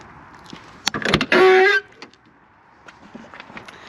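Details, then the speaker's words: Fiat 126p (Maluch) passenger door, which is rarely opened, swinging open. A short, high-pitched squeal of about half a second, like a dry, creaking hinge; thought to be quickly fixable, cause not confirmed. "sorry for this very weird sound i very rarely open the passenger door but i guess that sound is very quickly fixable"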